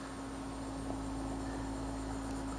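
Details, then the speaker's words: Mitsubishi Electric Mr Slim heat pump, outdoor unit running at low rpm after install: very quiet, smooth steady hum like a drink machine, no knocks or rattles; running healthy. "i don't know if you guys can hear it it's it sounds like a drink machine or something like that you're standing in front of so it's quiet"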